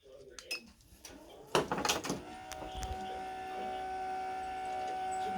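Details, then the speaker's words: Sabaj K-1 ECO motorized TV lift carrying a 7.8 kg TV, faulty after a few months with slow downward travel: after a few clunks it lowers with a steady thin whine and faint squeal, louder going down than up. Cause unclear. "on the way up sometimes you hear the noise slightly but not as much back down [Music] again a lot louder going down"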